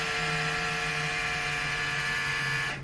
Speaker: So there you can see it's just going to keep running. So that pretty much proves that this long line right here is our culprit.